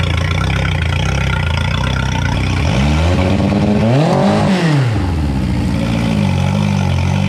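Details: 2011 Yamaha T50 outboard, previously running rough, after replacing fuel line, bulb, low-pressure pump, thermostats and spark plugs: steady idle, smooth rev-up, settles back evenly; sounds a lot better.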